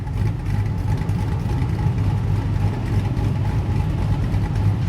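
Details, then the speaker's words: Blazer with a new Summit Stage II truck cam and Holley Terminator X Max standalone EFI: deep, steady idle with mild rhythmic cam lope, even firing, no knocks or misses; idles smoothly, though cold idle still tends to hunt. "i'm stoked to get it up and running it's idling pretty good i've still got some work to do on the initial cold idle uh it tends to hunt a l"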